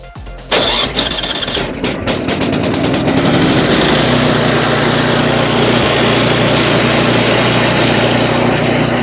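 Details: Ariens 8526 snow blower after its Tecumseh electric starter was replaced, fuel valve opened and primed four or five pumps with the season's first fuel: brief crank, catches within a second, then a steady even idle; a normal electric start.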